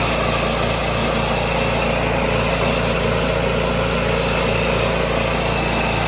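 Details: 1986 John Deere 216 single-cylinder petrol tractor after carb cleaning and PTO adjustment, leak fixed, driving the driveway: steady, even putter with no misfire or knock. Normal running.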